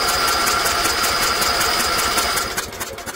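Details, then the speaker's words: Old Briggs & Stratton generator, electric start, first attempt in years: starter churns steady two to three compressions a second, never catches; no ignition spark. "Alright, let's give her a crank. We haven't. We don't have a spark, guys."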